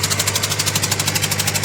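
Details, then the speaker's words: Engine with low power and misfire at rough idle: sharp rapid ticking puffs from number two injector leaking compression; the injector is loose, suspected bolt or washer fault. "So ayan oh yung bale injector number two mga ka-GM yung ano may singaw kaya maingay at palyado yung makina niya."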